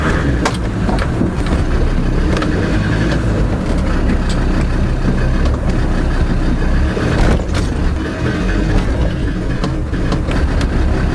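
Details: Land Rover Defender rear driveline with a dull clunk on pull-away and throttle changes over low drivetrain rumble; camera under car at rear drive shaft by the differential; owner suspects differential/driveline wear, not confirmed.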